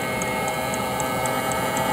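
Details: Espar hydronic coolant heater being tested, igniter jumpered, suspected debris inside: steady hum with an evenly spaced crisp tick about four times a second; the heater has lit and runs normally.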